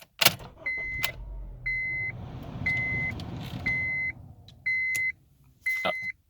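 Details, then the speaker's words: Honda with key transponder electronics removed: engine rumbles briefly then dies as a chime sounds once a second and key icon flashes; immobilizer kills ignition, RPM drops to 0. "Anyway, you can see that the RPMs are at 0, which means that the engine isn't running. You can also see that there's a flashing key icon. Basically, it didn't detect the electronics on the inside of it,"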